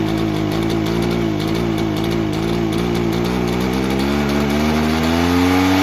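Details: Echo PB-403T two-stroke backpack leaf blower, sat for years and previously ran only on half choke without full revs, now buzzes evenly at idle and climbs smoothly in pitch when revved; runs cleanly.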